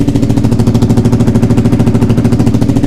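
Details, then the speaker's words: Suzuki SV V-twin under restoration, first start after the engine rebuild with the cam timing corrected, exhaust leak thought fixed: starts instantly, even regular twin idle thump, no misses or knocks; normal idle, though an upper exhaust leak remains. "Là ça fait vraiment un son de bicylindre. des fuites ici, mais... Donc elle démarre au quart de tour, ça c'est plutôt cool. Ça sonne beaucoup mieux."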